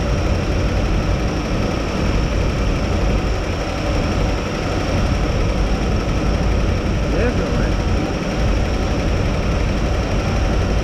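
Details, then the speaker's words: 1957 Chevrolet whose lifter noise had eased after running a while: a deep, even V8 rumble at warm idle, smooth and steady with no top-end ticking. Normal warm idle. "trying to get even better with some old fresh oil ain't got that 60 helped a lot i mean it really don't sound too bad"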